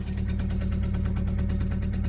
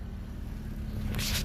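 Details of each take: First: Fiat Panda 4x4 after a shock replacement, idling while reversing: idle wavers slightly with a quick, light tappy ticking and runs a bit rough. Owner suspects the spark plugs, not confirmed. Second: 4x4 Fiat Panda idling steadily after a spark plug wire that had popped off the coil pack was refitted; even low exhaust burble with no misses or pops, some handling noise; runs smoothly.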